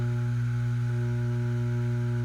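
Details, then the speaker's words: New Western Digital hard drive powered on during cloning for a webserver upgrade, mic held close: a steady low droning hum with faint higher rings. Excess vibration hum, so the owner will use another drive. "Yeah, so it's got this vibration in it that's going to drive me crazy."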